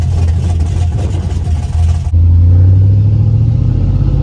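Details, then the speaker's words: LS-swapped daily driver, 200,000 miles, after fixing a rattle or buzz near the firewall that was only heard while driving: deep, even V8 drone pulling smoothly with a quick shift and no firewall noise; fixed. "I think it's fixed though I have to drive it to be able to hear I usually could really never hear it at idle but I could only hear it when I was driving just kind of like in the firewall [Music] area yeah it's definitely fixed"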